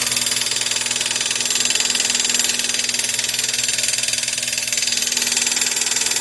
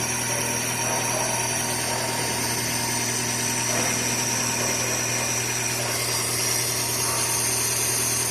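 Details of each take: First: Chevrolet Corsa Classic at idle, run after a roadside assistance call because it would not start, with the battery warning light staying on. A loud, harsh high-pitched rattle pulses about four times a second, pointing to a failing alternator. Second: Chevrolet Corsa Classic after repair of loud engine noise and battery warning light, charging about 13.7-13.8 V; steady even idle hum with faint belt-drive whine, no knock or rattle; earlier noise gone, injection and battery lights off; normal idle.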